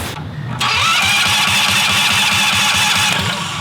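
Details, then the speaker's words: Predator 670cc engine for a dragster build, billet flywheel, 10W-40 oil, run off jumper cables: starter cranks steadily about two and a half turns a second with whirring on top but never catches; no spark. "no spark no spark"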